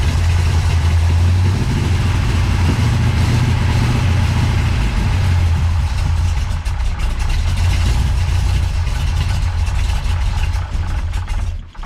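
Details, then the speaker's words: Big-cam big block Chevy, Holley 750 Double Pumper: a deep, loping, uneven idle that hunts without settling. Big valve overlap gives low vacuum, so too little air flows through the carburetor. "okay so the thing is when you got a big cam with a lot of valve overlap um your engine doesn't create the vacuum that it should so the air doesn't flow through the carburetor like it should"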